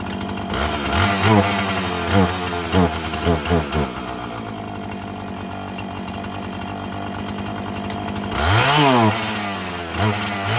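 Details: Husqvarna 445 chainsaw that bogged when throttled: fires, revs in short blips, settles to steady even idle with clean throttle rise; normal running.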